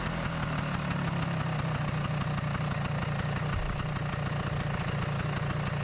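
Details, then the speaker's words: Vespa PX two-stroke, idle lowered via the idle screw: steady low even buzz that picks up cleanly on throttle with no misfire; normal running with good throttle response. "ah that sounds better! and the engine reacts quite good to the throttle commands!"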